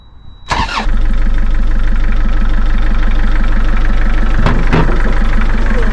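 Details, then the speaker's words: 58ft narrowboat diesel engine tested on the mooring after cracked radiator repair and engine fix: fires quickly and settles into an even idle of about three beats a second, with no knocks or rattles; sounds quieter than before. "Beautiful. Sounds so much quieter as well."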